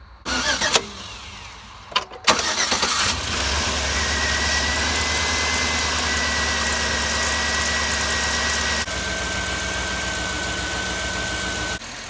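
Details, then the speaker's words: 2008 Chevy Avalanche 5.3 at 200k miles, started right after new serpentine belts and tensioners were fitted: cranks, catches quickly and settles to a steady idle with no squeal or chirp. The belt danced briefly at first, then tracked straight. "alright guys no issues I was watching this idler pulley for a minute because I noticed that belt kind of dancing back and forth at first but it seems to have stopped out"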